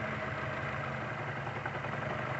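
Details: 2007 Chevy Cobalt four-cylinder idling with lumpy uneven beat: misfire from faulty cylinder one fuel injector; unplugging coil one changes nothing, other coils fine.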